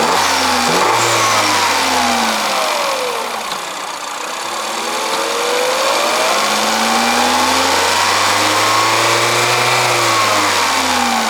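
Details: 2021 Peugeot 3008 1.6 THP Allure, 1.6 L EP6CDT turbo petrol (165 hp), 6-speed automatic, Malaysian spec: engine climbs smoothly through several clean rev blips and drops back evenly, no knocks or rattles; healthy normal free revving.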